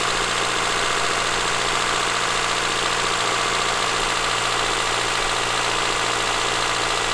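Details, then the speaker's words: Honda Accord (CB7), 183,000 miles, first start after sitting three years: even, fairly smooth idle with light hiss on top and no marbles-like knock; engine running healthy, normal idle. "now that it runs and it's not knocking it's not you know it doesn't sound like there's marbles in the engine it actually sounds really good"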